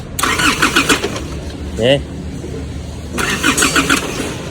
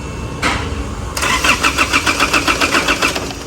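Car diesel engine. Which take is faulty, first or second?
second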